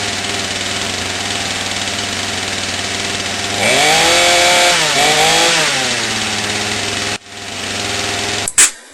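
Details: Craftsman two-stroke chainsaw after cleaning debris out of a clogged carburetor and its screen, following a fuel line replacement. Buzzes at a steady high idle, blips up and back down cleanly, then cuts off; normal running.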